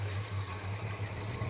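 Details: Holden HK V8 just after a spark plug change, with fresh 20W60 high-zinc oil, at idle: low, lumpy, uneven beat. It is running rough and needs re-tuning; the cause is not confirmed.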